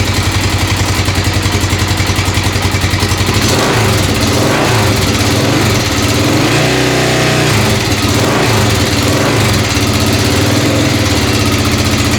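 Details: Freshly assembled 1996 XR600R, first start on choke, loping idle with a light fast top-end tick on each beat. The owner suspects loose valve clearance needing adjustment at the right front, unconfirmed.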